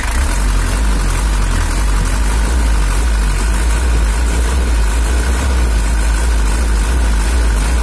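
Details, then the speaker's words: Toyota Hiace LH11 diesel (2L) after engine tuning: steady low rumble with even beat, no knocks or misses; throttle lighter and more responsive, running considered good enough. "Oke, itu udah cukup untuk Toyota LH11. Nggak usah terlalu ditekan lagi, nanti malah suaranya jadi nggak enak."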